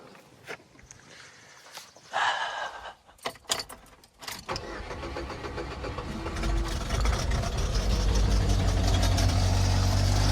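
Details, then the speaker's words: Pontiac after starter replacement: starter cranks briefly, engine catches and settles into a steady, even idle with no grinding or clicking; normal start. "Hell yeah, brother. It's alive. I don't know. Listen to it run, man."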